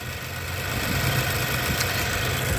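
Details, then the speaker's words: 2012 Nissan Juke 1.6 turbo, cold day around 27°F, after replacing CVT pulley bearings with roller bearings: steady idle with a light, fast ticking over it, the normal direct-injection injector chatter. "All right, guys, we're in the parking lot. She's idling pretty good. Hear the sound of that direct injection."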